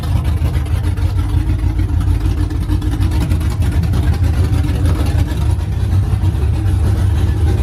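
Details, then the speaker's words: OBS truck V8 finally running after fixes, straight headers, first fire-up in the morning: deep, loud, steady rumble with an even lope, no stumble or dying. Smooth idle; running fine as supposed to. "well no she is finally running fine and idling huh supposed to"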